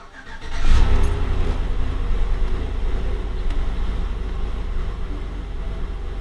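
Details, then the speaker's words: GM Yukon/Tahoe after replacing EVAP part for P0455 gross-leak code: quick crank, catches cleanly and settles into a steady even low idle, check engine light gone; normal start and idle. "working it's good no more chck engine light and we'll drive it around make sure it's okay"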